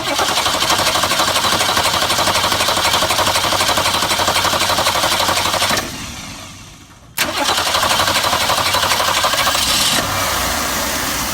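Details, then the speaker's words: 1966 Ford Mustang 200 straight-six after swapping in a good Holley one-barrel carburetor, fuel pump priming it: catches after a brief drop-out and settles into a steady, even idle; idle slightly sticking, throttle shaft may need lubrication; normal idle. "well well well that was easy feels like the idle's sticking a little bit I may need to lubricate the shaft"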